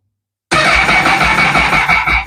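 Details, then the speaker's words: Honda motorcycle with no fuel pump prime. After dropping the kickstand and swinging the bike 10 seconds for FI codes, the starter spins steadily but the engine never fires. The pump still doesn't prime; codes 9, 16, 17 and 49 follow. "Still no fuel pump priming."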